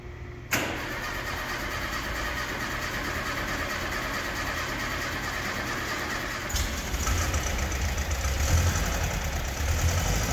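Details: 1976 fuel-injected VW Beetle convertible air-cooled flat-four, first start after a top-end rebuild (bottom end not rebuilt) and a battery recharge. The previous rebuild had loose head bolts and missing cooling tins. Quick catch, then a steady, even idle with no smoke, knocks or ticks. Healthy.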